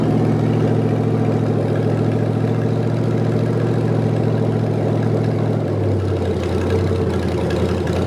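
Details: Rebuilt '73 Canadian truck 350 Chevy V8 (new piston and rod, big cam, fuelie heads), no fan, warming up: deep lumpy uneven idle shifting in pitch partway; rough idle from ignition timing way off, distributor being twisted.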